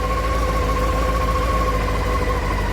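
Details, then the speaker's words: 1989 Honda CBR600 restoration, first start after carb clean and old fuel drained: in neutral, choke on, steady raised idle at about 1,500 rpm, no misses or knocks; owner points out the tick-over adjuster before dropping the choke. "Choke's on, but yeah, okay. I can adjust the tick over under here, somewhere here. So that's at 1.5, so when I drop the choke,"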